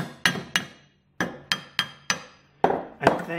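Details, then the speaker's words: Hammer taps on a corroded "dead" bronze boat propeller with a missing blade give a flat, dull ring that dies out fast, unlike a good bronze propeller's bell tone; shows why sacrificial zinc anodes are needed. "so you can hear the difference in the qualities of the metals the good quality bronze propeller there the dead bronze propeller here"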